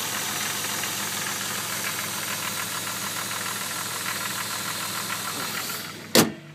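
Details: Jeep WJ engine running: steady run with regular light knock throughout; owner unsure whether it is a problem, engine knocking.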